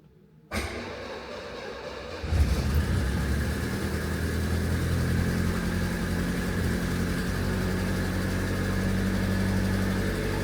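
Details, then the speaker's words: Classic Renault R16 first start after bottom-end repair for low oil pressure and knocking, oil pump primed, not in gear: short crank then smooth even idle, no noises, oil pressure showing; normal idle after repair. "turns out I can rebuild stuff that sounded sweet didn't it there's no noises there are no noises happy days"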